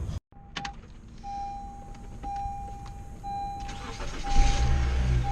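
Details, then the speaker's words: Honda Civic that would not start, after fitting a new starter: door chime over quiet cabin, brief crank then it catches into an even idle; normal start, the new starter fixed it. "starts all right she running all right so that Honda Civic is now going to be back on the road the starter did fix it thankfully so that's a job well done"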